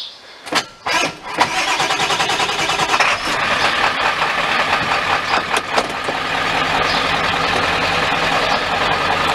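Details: 1995 Ford F-350 7.3L diesel, previously hard to start, after splicing the speedometer sensor wires. A few short cranking bursts, then it catches within about 1.5 seconds and settles into a steady, even idle: a normal start.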